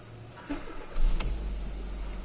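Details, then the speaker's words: 2021 Hyundai Elantra after replacing faulty ignition coils 1 and 2: cranks briefly, catches cleanly and settles into an even idle. Misfire gone; live data shows equal ignition outputs. "So, wala na siyang misfiring."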